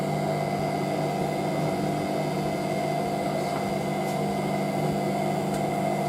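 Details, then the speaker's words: Hotpoint 9530W Electronic 1000 Plus washer spinning a towel load (Programme 1 85°C White): steady high-speed spin, even motor tone, soft thumps of towels hitting the door; healthy spin. "It definitely sounds very different to the 9530A when that spins. That's got like the sound of a later 95, that's what I like. It's awesome."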